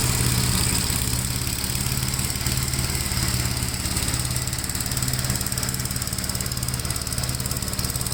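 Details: 1957 Gravely with a smaller 12-volt battery fitted, mowing soaked grass: a deep, even single-cylinder thump at about three and a half beats a second pulls steadily through the cut without stumbling. The healthy engine has power to spare.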